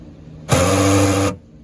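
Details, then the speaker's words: Rear power door lock actuator, aftermarket unit, microphone right next to the door while disarming/unlocking: harsh, strained buzzing whir under a second, much louder than a normal click; owner suspects the motor is dying, fixed by replacing the actuator. "so something is wrong i think the motor is dying it did this once last year so all right let's get into it"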